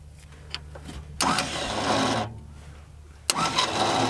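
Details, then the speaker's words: Grandfather's long-parked truck on its first start attempt in cold weather: two short bursts of harsh, rough whirring that die off without cranking; owner suspects a bad or jammed starter with the Bendix not engaging. "That's not a good sound. Our starter might be bad."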